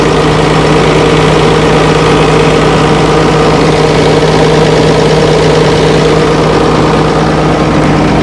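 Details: Old Fiat-Allis bulldozer, roughly D6/D7 size, six-cylinder diesel, probably not turbocharged, sat in the bush for years; started at full throttle with one injector line cracked; loud, steady low drone with no misses; normal running.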